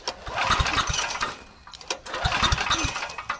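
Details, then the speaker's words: Trash-rescued Generac 5000 W generator with a new carburetor: two short cranking bursts catch briefly with a few pops, then die. The kill switch is miswired and has continuity that grounds out the ignition. "It is wired because with that switch in, you have continuity between those 2 terminals, which means you're grounding out. So we do have it miswired."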